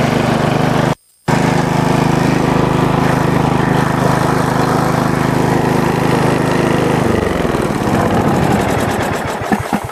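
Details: Bolens riding mower single-cylinder engine after valve cover cleaning, homemade gasket and overnight battery trickle charge, started on choke: steady even putter at one speed for several seconds, then shut off and winds down smoothly; normal running.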